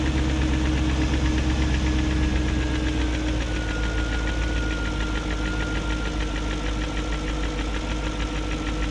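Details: 2001 BMW E38 740i V8 idling after new timing chain, guides, tensioner and VANOS profile gaskets: light quick tick about three to four per second over steady idle; no codes; owner suspects VANOS unit, cause unconfirmed.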